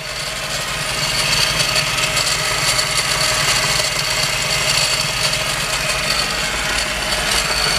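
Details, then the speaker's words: Mazda RX-7 FD Type RS rotary at idle, with the air pump working again: rough idle and backfiring, with a harsh metallic rattle and faint ring seemingly from the belt area. Cause suspected, not confirmed. "If you guys can hear that metallic noise, it sounds like it's coming from this area, from the belt."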